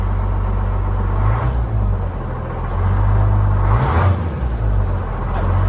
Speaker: That Detroit sounds good.